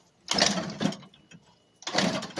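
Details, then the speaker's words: Scooter no-start with wiring ruled out, carb spray shot into the intake after removing the intake boot: two short cranking bursts with whirring starter and uneven catches, but it never runs; a fuel-related cause is suspected. "It definitely sounded like she wanted the crank, so we definitely know it's something."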